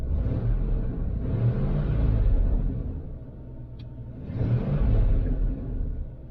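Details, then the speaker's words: Van with exhaust just patched, exhaust now exiting further down; deep, even rumble that swells and settles with throttle, no ticking or puffing from a leak, sounds better than before; normal exhaust note. "yeah it's running and it actually does sound pretty good the exhaust is now coming out let me get out your way the exhaust is now coming out right down here"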